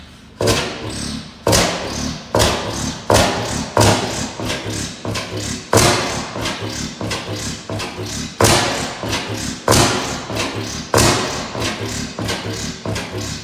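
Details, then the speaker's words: 15 hp Bessemer kickstart oil field engine, first run in about ten years, no governor belt: heavy single thumps at uneven spacing, about twenty a minute, with coasting gaps; hit-and-miss engine running normally. "okay old girl still got some life in it"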